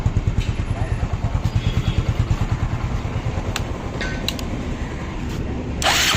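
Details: Hero Glamour motorcycle after piston ring fitting, engine sound problem solved; single-cylinder even steady thump settling to smooth idle, no tapping or knocking; normal idle.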